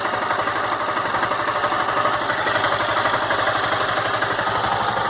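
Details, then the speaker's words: Honda Fan 160 warm, in neutral, original, valves never adjusted, nearly 12,000 km; even single-cylinder idle with soft valve ticking, no bothersome engine noise. "entendeu tá aí eu não vejo nenhum barulho que me incomode né"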